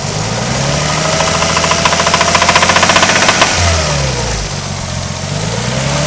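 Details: Nissan RB20DET petrol engine revving with a hard rhythmic knock, about four a second, louder under revs: spun rod bearing after hard highway driving with excessive oil temperatures.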